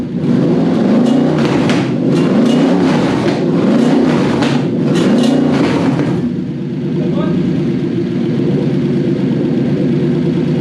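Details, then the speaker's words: Toyota/Lexus V8 on a newly wired Link Monsoon ECU after a throttle stop bump: idle surges up and down roughly every 1.5 s, then steadies; suspected cause is the ECU switching the fan on at fan temperature with no fan fitted, upsetting idle settings without that load. "I think what was happening was the fan was coming in. It was dialing the fan on because it had got up to fan temperature, and then the idle settings were going funny because the fan was on, but it wasn't on."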